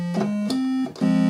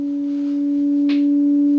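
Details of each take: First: Moog MG-1 synthesizer with a no-sound fault on the other voices (tone one, tone two, bell tone silent): square wave organ voice from the keyboard circuit plays clean, steady buzzy notes stepping through pitches with crisp starts and stops; normal square wave organ tone. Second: Moog MG-1 synthesizer sample and hold set to continuous: a steady pure tone slowly creeps upward in pitch instead of holding; oscillator pitch drift, a leaky op amp suspected but not confirmed.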